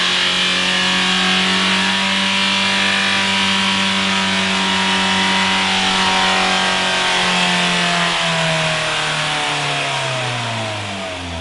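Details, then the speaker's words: Mitsubishi Carisma diesel overfilled with a few litres too much engine oil runs away: screams at a fixed high speed with no throttle control, then pitch sags as it winds down. "Dieses Auto ist ein wenig Lauter geworden. Ist scheinbar aber original, weil Auspuff ist ja noch dran ne ;P Nein, heute geht es um einen Diesel Runaway"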